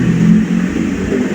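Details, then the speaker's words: Kyowa KW-1364 electric kettle after replacing its switch with a new one: steady low rumble of water nearing the boil, then one sharp click as the switch auto shuts off at maximum temperature; working fine. "Kasi nga, ayan, pakinggan natin yung maglagatik yan. Pag umabot na sa maximum temperature, mag-o-off kusa yan."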